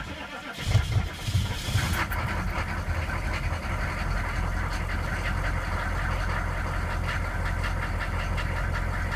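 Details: GM K2500 with 6.5L diesel, first run in a year: cranks and catches, then a deep, heavy idle with a steady hard knocking running through it; cause not yet pinned down.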